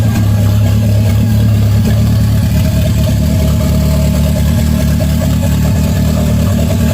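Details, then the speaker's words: 1992 Toyota MR2 project car with an unused vacuum outlet capped off: even, steady idle with a low smooth hum, no misses, knocks or hunting; capping the outlet keeps the idle good. "so covering up this vacuum holes back or this vacuum Outlet um helps keep the idle going um I don't have that connected to anything but I mean the idle sounds great"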